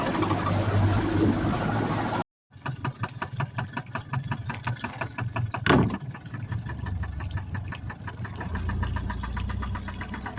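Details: 2019 Mercury 150 hp FourStroke outboard with 680 hours idling with a sharp, steady knock about three a second over a low hum.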